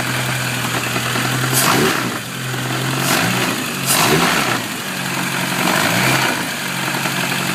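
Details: Supercharged classic Mini engine idling and blipping: rough, uneven clatter under the revs; loud engine knock, owner suspects the supercharger bearing, unconfirmed.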